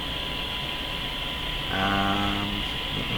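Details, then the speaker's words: Grundig Satellit Professional 650 on shortwave with a signal-generator 1 kHz test tone; heavy steady hiss almost buries the faint tone; weak shortwave reception, owner suspects misalignment. "not enough signal coming to the radio i don't believe it but i'm going to boost this factor of 10"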